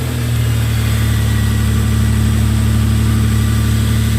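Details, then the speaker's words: Toyota 4Runner after replacing ignition coils to cure P0300 misfire that worsened in rain: smooth, even low hum at idle with no stumbles; running cleanly on all cylinders. "oh I love it nice and smooth"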